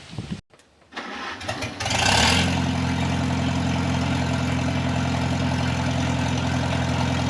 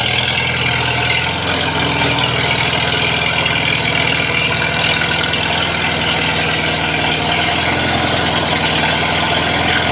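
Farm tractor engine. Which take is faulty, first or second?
first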